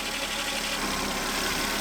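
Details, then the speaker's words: 2006 Volvo S80 T6 B6294T 2.9L turbo inline-six at steady even idle after timing belt replacement, in 37°F weather; side timing cover had been rubbing the harmonic balancer, cover pushed out and now sounds better. "My holes on my bolt down for this side might be starting to wear out. There, that's better. That sounds a little better now."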